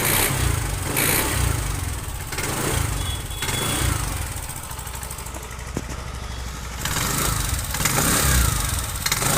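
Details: TVS Jupiter 125 BS6 scooter with an engine noise complaint. It runs unevenly, with a rough clatter over a low exhaust note; abnormal engine noise, cause not identified.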